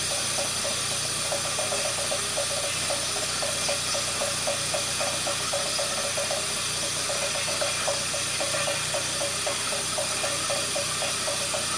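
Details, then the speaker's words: 1999 Fiat Panda 4x4, 1.1 FIRE fuel-injected, turbo removed and reverted to standard, 230 psi compression on all four cylinders. A lumpy idle with skipping, irregular ticking pulses over a hiss; the owner suspects misfiring cylinders and overfueling. Cause unknown. "It just stalls, and it sounds like it's missing cylinders and overfueling, and it is all over the place,"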